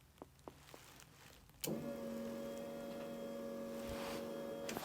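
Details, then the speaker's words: VW Caddy MK1 with a VR6 3.2 swap before its first start: a few relay clicks, then a steady even whir as the electric fuel pump runs when the relay pin is bridged with a tester. The ECU isn't triggering the pump relay, and the cause is unknown. "you can hear the fuel pump come on so I'm not too sure what's going on there"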